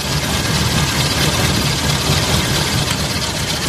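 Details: Car engine with rough idle: uneven, lumpy idle with loose irregular thumps about two per second under a low rumble; misfiring cylinder being located by pulling plug leads, pulling number 1 makes it louder.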